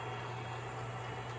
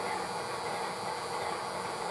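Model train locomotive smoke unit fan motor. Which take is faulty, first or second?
second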